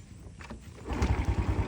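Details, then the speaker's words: Honda Wave DX 110cc motorcycle, accident-free with no faults: short crank, then the engine catches on the first start and settles into a quick, even putter, a healthy small single-cylinder start. "Sekali start sahaja sudah pun hidup. Enjin yang comel, body yang tegap, enjin yang linear, body yang kemah."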